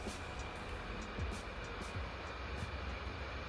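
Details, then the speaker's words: Laptop fans kicking into "jet engine mode" while editing and color grading 4K video under macOS, Intel Iris Plus 645 graphics: loud, steady rushing whoosh with a faint high whine held constant; cooling fan at full speed under heavy load. "as you can hear while i was editing some 4k video and color grading it i actually got the fans to kick into jet engine mode"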